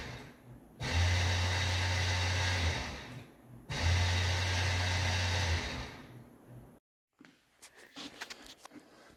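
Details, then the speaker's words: 2000 GMC Sierra K-Series 4WD 5.3 with replaced brake lines, parked with the brake held during a scanner automated bleed. Two separate bursts of low steady motor hum, each about two seconds, from the ABS pump under the truck; it runs but did not actually bleed the brakes. "hold the brake, and you hear the pump underneath the truck running."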